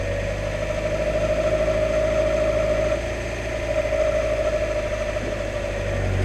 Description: What on earth is the whirring I'm hearing?